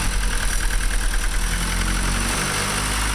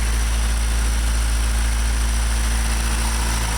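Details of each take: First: Honda Civic after head gasket replacement (OEM gasket, ARP-studded block), first start, cold: idle pulses unevenly for a second or so, then settles smooth; air-fuel 11.5 on cold start. Owner suspects the IEC, not confirmed. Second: Honda Civic at cold start after replacing the head gasket with a Honda OEM part and ARP-studding the block. First start attempt failed, which the owner thinks is IEC-related. Now a steady, even cold idle with a smooth low rumble, no knocks or misses; timing good, air-fuel ratio 11.5.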